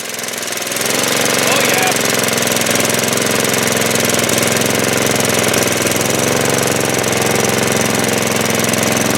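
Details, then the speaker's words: Snow blower small engine, after sitting with old fuel, on choke at full throttle, after cleaning carburetor bowl, main jet and bowl nut: catches and settles into steady even high-speed drone, no misses or surging; running properly. "yeah baby we're back in business and that's really all there is to it we simply cleaned out the carburetor Bowl in the main jet the bow nut put it back up and she wants to run again"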